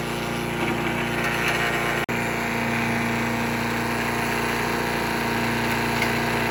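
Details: Troy-Bilt chipper/shredder with a small single-cylinder petrol engine, bought used and non-running, restarted after a carburetor rebuild. Under load it holds a steady, even drone as branches feed through, with no hunting or dying off. It has run half a tank well.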